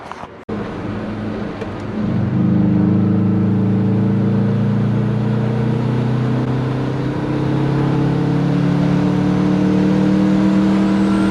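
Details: Compound twin-turbo Subaru Forester (GT35), warmed up after fixing a melted wastegate line and a boost leak at a fitting gap: engine note climbs smoothly and pulls hard under load, boost coming on hard, no flutter or hiss.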